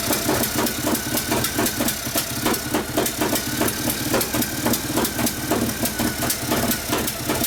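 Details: 1959 Harley 74ci panhead, new build with 38 Mikuni carb, kickstart tune-up after very hard starting: steady lumpy V-twin idle with even firing pulses, no missed beats; healthy.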